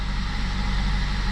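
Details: Ford (Mazda B-Series-type) truck after cylinder head temperature sensor replacement and code clear; low, steady idle with even rumble, no misses, surges or knocks; engine running smoothly.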